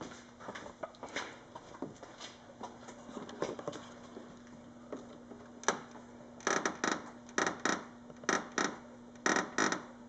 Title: Dodge Charger front fascia creaking noise